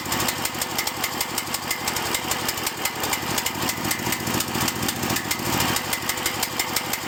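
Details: Cael mini excavator diesel idling with an uneven, lumpy chug and clattery firing instead of a smooth beat, rough idle and dying; cause not clear.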